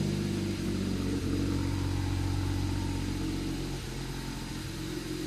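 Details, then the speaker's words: 2010 BMW 135i, N54 engine, MSD81 DME, after clearing immobilizer faults: first start runs poorly, lumpy idle with uneven beat, stumbles and speed dips; cylinder 3 misfire code. Rough idle with misfire. "Oh wow. Alright. That's crazy. I was not expecting that, to be honest. It is running poorly."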